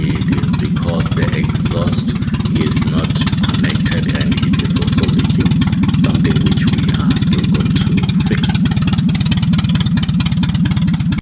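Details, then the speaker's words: 1988 Volkswagen Jetta 2 after exhaust repair at exhaust shop: even, steady low drone with no popping, blowing or rattling from the pipe; exhaust sealed and in good order. "and now you can hear the sound is it's in good order as the exhaust is is fixed and loading"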